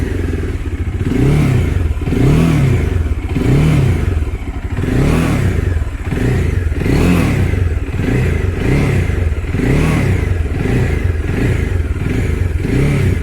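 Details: Bajaj Dominar 400 after fixing a vibrating buzz near the headlight cover: repeated throttle blips about once a second, with a clean engine rise and fall and no buzzing or rattle from the front; normal running.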